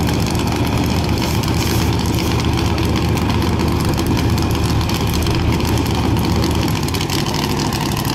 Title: CMEGO launch with misfiring